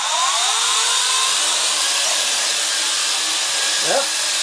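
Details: WLToys V262 quadcopter after replacing a squealing bad brushed motor with a new one: high even buzzing whine rising and falling with throttle, no rattle or squeal; motors running normally.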